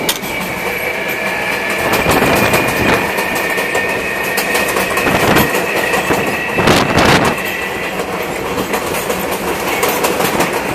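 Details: MTA R142A car 7686 on a Manhattan-bound 4 train near 183rd Street: steady high-pitched traction motor howl over the wheel clatter while running; cause not stated, later fixed.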